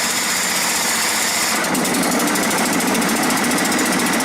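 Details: John Deere STX38 riding mower with a 12.5 hp Kohler, after its no-start and deck-shutoff fault was fixed by restoring a loose engine ground. Steady buzzing at moderate revs, holding speed evenly under blade load. The mower is running normally.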